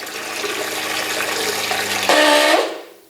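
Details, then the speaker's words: RV on-demand water pump on the bench, self-primed from empty lines, with the outlet valve closed: steady motor hum rises slightly as pressure builds to about 40 psi, then the pressure switch opens and cuts the motor off cleanly. "you can see the pressure is going to go up it will increase and right now we're running about 40 psi on the outlet side and that will get this switch open and that will shut the motor off"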